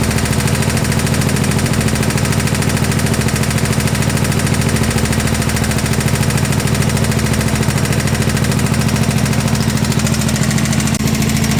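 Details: 1972 Gravely 816 tractor, Kohler Command 18 engine, first run: heavy regular knock about 160 per minute over rough running; engine blown up, seemingly worsening as it ran.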